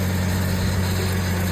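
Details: 2008 GMC Envoy just after alternator replacement with belt refitted: steady, even idle with a smooth low hum and no knocks, squeals or whine; earlier noise possibly from a bearing.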